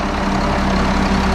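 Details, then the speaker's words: 1974 Allis Chalmers 7080 tractor diesel after hydraulic leak repairs: deep steady idle rumble with a smooth even beat, no knocks or stumbles, during leak test and steering check; healthy idle. "You hear that? That's the sound of success. Listen to that big girl purr."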